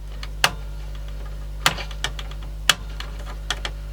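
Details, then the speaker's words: 1995 Marantz 74SD535 dual cassette deck: steady motor hum with uneven scraping clicks about once a second as the pinch roller barely turns, stops and rubs; seizing worse, owner suspects a rusty bearing. "there it goes sort of you can hear it rubbing on there it was doing it something like that where it was going and then stopping occasionally but whatever it is it's seizing up even worse so it's probably just the rusty bearing maybe"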